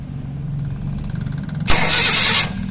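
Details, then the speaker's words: Suzuki Carry Futura carburetor model, spark test at the distributor: even starter cranking that never catches, then a loud hiss; no spark because a broken timing belt stopped the distributor from turning, fix is a new timing belt. "nah Abinya gak ada ya ternyata ya Jadi kalau HPnya nggak ada tentu saja kita harus mengulas bagian pengapian dulu"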